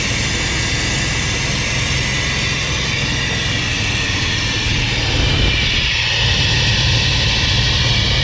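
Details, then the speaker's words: 1990 GMC 1500 with the TBI 350 V8, after replacing a bad distributor that caused no fuel pulse and no spark, plus new AC Delco plugs and wires: it runs smoothly at a steady speed with a clean, even roar and no misfire. "That's it, guys. Bad distributor cause no fuel pulse, no spark."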